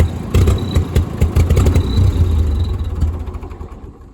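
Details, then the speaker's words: Old Ford 2N tractor with badly worn spark plug wires, carburetor also to be checked: uneven stumbling low putter about two to three beats a second fading as it misses and dies; would not restart, towed away; cause not confirmed. "And it died. So basically the tractor broke down and I could not get it to start up again, so we had to tow it."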